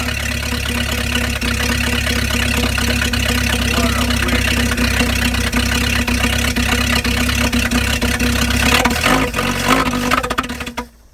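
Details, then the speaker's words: 1953 Packard straight-eight, cold start on a temporary gas can and battery: smooth, even low burble holding steady about ten seconds with no knocks or misses; runs healthy, pulled itself out of a hole. "wow wow does that ever run nice hey pulled itself out buddy"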